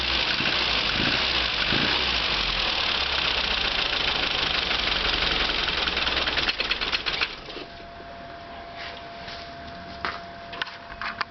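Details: Mini engine: noise obvious on acceleration and gone at steady revs; around 2:10 choke is reduced, engine runs steadily then falters and stalls once the choke is fully shut.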